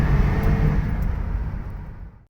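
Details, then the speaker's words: Holden VZ Commodore ute with a previous idle miss, accelerating hard from idle up a steep hill on a road test: a smooth, even rising drone with no miss or hesitation after the fix. "let's dump it and see what it does no Miss no hesitation all good"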